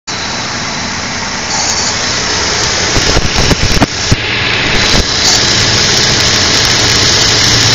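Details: 2002 Infiniti QX4 petrol engine at cold idle in cold weather: a hissy roar broken by a brief cluster of irregular clattering knocks. The intermittent noise happens for about 10 minutes after startup.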